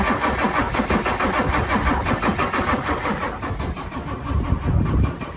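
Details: 1996/97 Ford F-250 7.3 Powerstroke with veggie-oil conversion, sat 10 years, cranked with ether, glow plugs and extra battery: starter churns about three beats a second with uneven chuffing but never catches; crank no start, consistent with no fuel.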